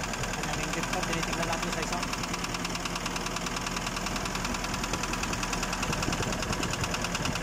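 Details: Nissan Urvan NV350 diesel van with only 45,000 km, noisy engine, idling: steady rapid tapping about three a second over the engine note; a knock whose source still needs tracking down.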